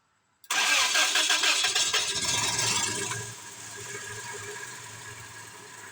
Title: Tacoma V4 1999 Engine difficult to start and engine misfire 🤯🤯